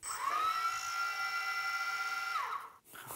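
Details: Phantom drone after motor and ESC repair, top shell resting on motors, propellers off: smooth, even whine climbs, holds steady pitch two seconds, winds down cleanly, no grinding or ticking; motors running normally.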